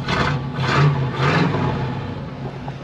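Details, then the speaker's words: 1978 Pontiac Formula Firebird 350 V8, a field find, on the stock top end with a two-barrel carb. Three blips over a dull idle, the note choked and muffled; the cast-iron stock manifolds feed a single collector and a tiny muffler and exhaust, which is restrictive. "definitely has a really neat sound but you can tell it's restricted"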